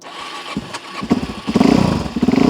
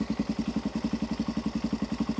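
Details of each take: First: Cold carbureted motorcycle on choke with a little throttle after running too rich: after a few blips it settles into a steady, even idle about eighty beats a minute; normal idle on choke. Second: Cold carburetted motorcycle just started, choke knocked down a step: slow, lumpy idle with uneven low pulses about eight a second, sagging near stall and dying if throttle is twisted before warm-up; cold engine stumbling.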